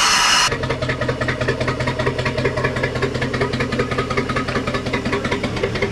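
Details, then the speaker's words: 1992 Sea Ray 38 SS port Mercruiser 7.4L MPI L29 V8, first start after sitting about five years, at low throttle: steady slightly loping low idle, even chuff about twice a second; running clean. "what do you think buddy globes oh it lopes phillip that's a win that's only one though we gotta do that one"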